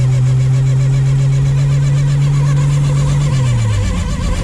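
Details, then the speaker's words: 1947–49 Studebaker flathead six with 3-speed overdrive manual, on a test drive at about 30–48 mph shifting into third; steady low even drone dropping smoothly in pitch with no misses, the engine having cleared up. "Third. Oh, she just cleared right up."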